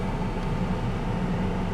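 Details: 1998 Chevrolet S10, Vortec 4.3 V6, warm idle after intake gasket replacement and new coil, coolant refilled (about two gallons of three): low, even rumble with no knocks, ticks or misses; runs cooler than before, owner suspects the old thermostat was sticking.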